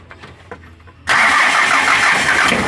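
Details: Mitsubishi L300 4D56 diesel after a no-start: short crank, then catches at once and settles into an even, steady clatter; the fuel shutoff solenoid had power but had failed and would not engage, now fixed and starting normally.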